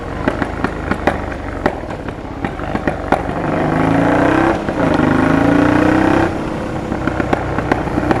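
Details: Honda Transalp PD06 twin with MIG exhaust: irregular sharp cracks and pops from the exhaust while revving, about four a second. Owner suspects the defective rubber intake boots are cracked and letting in air, and plans to replace them.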